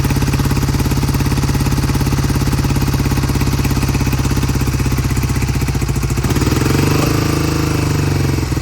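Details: 1971 Triumph T120 650cc twin, cold start after long storage, before repair: uneven, stumbling exhaust beat as the left cylinder cuts in and out; intermittent misfire, owner says it comes back to life once warmed up.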